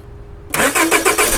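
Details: 2001 or 2002 Honda Accord (6th gen) that won't start, with spark confirmed and the fuel pump relay suspected: the starter turns the engine over in quick, even pulses with no catch; crank-no-start, out of fuel.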